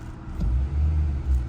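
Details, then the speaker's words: 2020 Nissan Altima idling after fixing a P10C3 misfire: low, smooth, even rumble with no stumbles or shakes; misfire gone, code not returning. "ام 100% ما عاد فيها تقطيع والكود ما عاد رجع"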